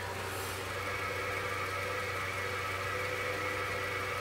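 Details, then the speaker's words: Idling Nissan NP300 pickup: steady gritty whir over the engine while the clutch pedal is pressed, gone when released; worn clutch release bearing (collarín), later recorded under the truck at the transmission bell housing. "vamos a accionar el pedal de clutch y presten atención al ruido que hacen soltamos y se le quita"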